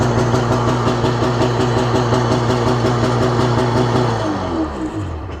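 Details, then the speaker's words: 1995 Sea-Doo Speedster jet boat (twin engines, believed around 170 hp), port-side two-stroke engine: starts instantly, even rapid two-stroke beat with steady low thrum, then slows and winds down; starboard engine only turns over very slowly. Normal idle. "yeah like I said guys it fires up instantly it's by far the easiest starting watercraft motor that we've got around here"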